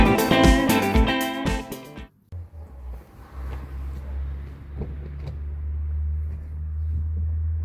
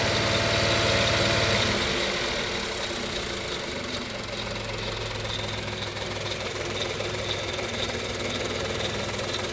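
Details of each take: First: Kia Picanto/Hyundai i10 1.0 G3LA engine at 70,000 km, idling after timing chain replacement: steady low idle with no rattle, the noise fully gone, confirming the worn timing chain was the cause. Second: Kia Picanto/Hyundai i10 1.0 G3LA petrol engine idling at only 70,000 km; steady metallic ticking rattle about four a second from the worn timing chain. Timing chain rattle.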